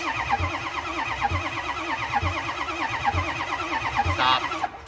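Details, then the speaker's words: Ford 6.0 Powerstroke diesel no-start: starter drones with about one heavy compression beat a second, engine never fires and cranking stops; no oil pumping seen, low pressure oil pump suspected, not confirmed. "okay no oil pumping so uh where would we go from here guys"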